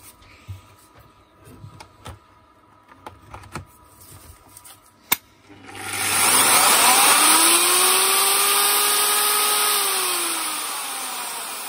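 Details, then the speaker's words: Zubr UShM-230-2100 PM3 230 mm angle grinder, repaired no-start from poor contact: spins up to a harsh, rough high whir, then tone sinks coasting down; worn bearings, all three to be replaced. "принципе слушаем рабочие но ему поменять все подшипники то есть три штуки здесь вот здесь короче будем менять 3 подшипники"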